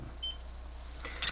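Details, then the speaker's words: Seiko The Great Blue 7T62 chronograph alarm dive watch alarm: a single short, high-pitched electronic chirp in a quiet room; normal alarm beep. "This does have an alarm function, which I should probably test. I can't quite remember how to set that function in this watch, but I'll do that at a later date."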